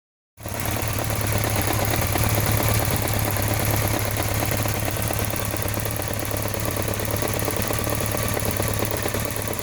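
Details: BMW K1200RS motorcycle at steady idle with a light, quick ticking about three per second; owner can't tell if it's the throttle body, cam chain or valves, and leans toward throttle body.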